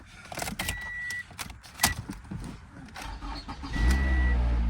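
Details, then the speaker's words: Used Toyota, almost 10 years old, inspected at auction: the starter catches quickly and it fires straight into a steady, even idle rumble with no warning lights on; a clean, normal start. "Started right up. Sounds good. No lights on."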